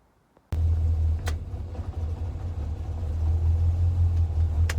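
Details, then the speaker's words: Le Mans green Mk1 Ford Escort idling after fitting a standard crossmember and mounts in place of the World Cup competition crossmember, plus an electric fan kit. It catches and settles into a smooth, low, even idle with no shaking, thumps or rattles. The car no longer shakes. Normal idle. "Crossmember and mounts all fitted. Made a hell of a difference. The car doesn't shake anymore."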